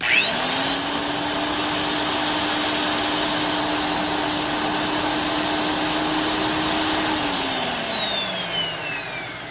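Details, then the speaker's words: Black & Decker 92E heavy-duty 7" sander (9 amps, 4250 rpm) after service, gearbox greased, no wheel fitted: smooth steady high whine like an old vacuum cleaner, even wind-down, no rattle or grinding; healthy motor. "Just sounds like one of those old vacuum cleaners, not the modern ones with really high-speed motors, but that's the beauty of these tools. They really are just a nice, smooth running, nice sounding."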